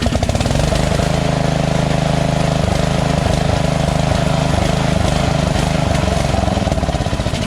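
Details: White Outdoors LT1650 (MTD) lawn tractor, Briggs & Stratton V-Twin, carburetor just cleaned: steady low engine drone with uneven beat rising and falling, hunting around idle; intake gasket checked fine, carburetor still suspected.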